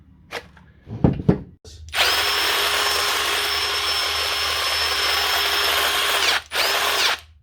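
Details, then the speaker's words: Drill just reassembled after a plastic piece was chopped off so the battery slides on: steady high whine with a rough, gritty edge over about four seconds; "that doesn't sound good." "that doesn't sound [Music] good so that's your little friend back together"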